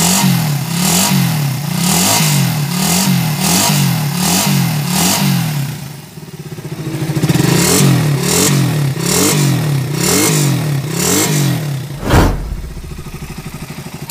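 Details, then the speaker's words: Raider 150 motorcycle engine after the noise was fixed without replacing parts: small even single revs with no clatter or tapping, now smooth compared with how noisy it was before. "Ayan oh Mga kaabo napaka smooth na mga kaabo h kagaya kanina napakaingay"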